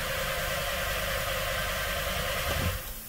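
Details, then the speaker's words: 2015/2016 VW Beetle 1.8 turbo, previously running fine, no relevant codes, fuel pressures adequate and crank signal present: steady starter cranking that never catches or even tries to fire; crank no start. "cranks doesn't start doesn't uh doesn't even try to fire here"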